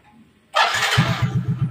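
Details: Motorcycle with an electrolytic capacitor fitted across the battery, two weeks in use: brief starter whirr, fires almost at once on one press and settles into steady, even idle thump; normal healthy start, battery charging reportedly better.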